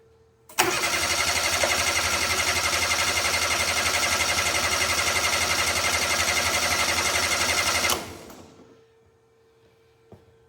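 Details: Steiner 230 with Kubota gas engine, bought cheap and neglected, after drying water off the coil that had been shorting spark: steady starter cranking about four turns a second for seven seconds that never catches; cranks but won't start.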